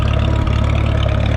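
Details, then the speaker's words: 1969 Minneapolis Moline Jet Star 3 Super tractor in low range: a steady low drone with a continuous winding whine over the engine. The Amplitorq low side is slipping and not driving; the main clutch is not slipping. "but you can hear that I don't know if you can hear that winding sound, but that's a good indicator"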